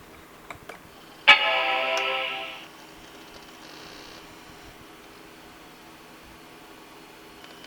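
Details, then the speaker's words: Vintage Apple Macintosh running System 7.1, floppy ejected: bright startup chime then faint steady hard drive whir; hard drive now working and it boots normally. "But you could hear it. It's booting. Oh, holy. So, now it works."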